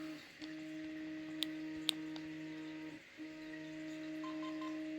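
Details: Hobbywing Fusion 2-in-1 1800KV brushless motor system in an RC crawler, just powered on: clean steady beeps from the motor at about 300 Hz, a short pause, then the tone resumes; a normal ESC arming sequence.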